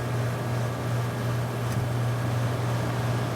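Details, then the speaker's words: 1981 vintage 18,000 BTU air conditioner on low fan speed: steady low electrical hum at an even pitch under the airflow; owner suspects the fan motor needs new felt bushings, less hum on medium. "i think they might need new felt bushings on the motor you can hear it does hum a little bit on low"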